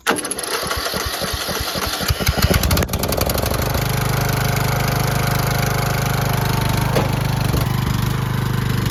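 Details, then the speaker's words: Cheap used riding lawnmower after re-bolting a part without a gasket: catches after a few cranking chugs, then a steady, even drone with no misses, much quieter than before, still blowing some oil. Normal running. "That is a lot quieter. Still blowing some oil from somewhere."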